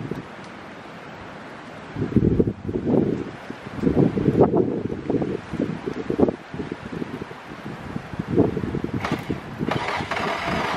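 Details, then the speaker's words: Infiniti G35 after tightening starter connections: bursts of cranking over wind noise, never firing; owner suspects it wants fuel or old fuel, later starts with a little smoke; cranks but won't start. "it's almost like you want that it's almost like it wants some gas or it want that new old fuel like maybe the car tip too much"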